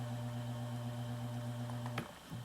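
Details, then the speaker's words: Hunter Echo Bluff 51089 ceiling fan, newly installed without fan controller or remote, mic moved closer: steady low electrical hum under running noise on high, slightly less on medium, still on low; cause not found. "yep there is some hum on high can you hear that it's a little bit less on medium there's still some noise on low again High see if I get the microphone closer it is a pretty noticeable hum"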